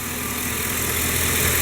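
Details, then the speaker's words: Chevy Silverado/GMC Sierra 5.3 V8 with intermittent lifter tick, during a quiet spell at idle: steady even idle, smooth low rumble, no top-end tapping; new O ring later fixed it, otherwise lifters or camshaft considered. "this thing it's quiet now the alternate repair is going to be probably having to take you cylinder heads off"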